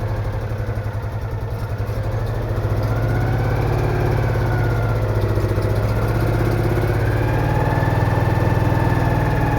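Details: Citroën Méhari air-cooled twin idling after exhaust leak repair, fan refitted, check before test drive; even steady low thrum, clean regular beat, no ticking or exhaust puffing; smooth idle.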